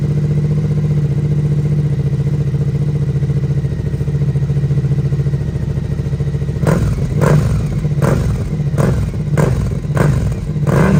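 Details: Rebuilt Suzuki SV650 V-twin, exhaust with dB killer fitted: loud even idle with deep throb, then six or seven clean throttle blips; owner hears little difference with or without dB killer, healthy engine.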